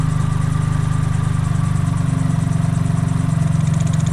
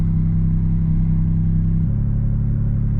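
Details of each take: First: Suzuki Cappuccino after idle-issue work, after about 5 minutes running: low even hum holding around 1100 rpm with no hunting or surging, much quieter than before when it sounded like an exhaust leak; normal idle. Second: Suzuki Cappuccino after a short drive, check engine light still on: no longer surging but holding a steady fast idle around 1500 rpm with a slight drop in note; high idle, owner suspects something idle-related, cause unconfirmed.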